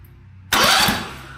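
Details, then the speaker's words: Ditch Witch 1820 trencher salvaged from scrap, after tracing starter wiring through the interlock, crowd relay and crowd switch circuits; a few quick cranking pulses that catch and fade, the starter now turns the engine over normally. "She cranks now. The chain or the interlock switch is working."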